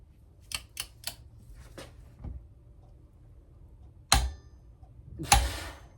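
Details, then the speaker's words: Shop-made Sunbeam Alpine cylinder head bolt tightening tool (Churchill RG225 copy) tested with its bolt clamped in a vise: two sharp, crisp clicks as the torque wrench releases cleanly at 60 ft-lb, with no bending or deformation of the tool. "when I can hear the torque wrench clicking at 60 ft-lb without any bending or defamation in the tool I know that it's strong enough"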